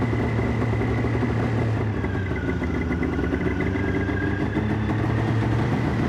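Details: Polaris Ultra two-stroke snowmobile after oil change: steady fast buzzy idle that never settles, high idle that drops when choked; owner hopes dirty carbs, fears crank seals; choke also needs fixing.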